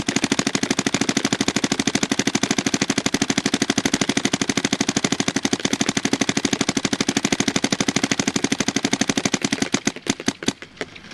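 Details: DYE DSR+ paintball marker efficiency test, tank around 900 PSI and dropping: fast crisp string of pops about three per second, fairly even, trailing off; firing normally with pressure.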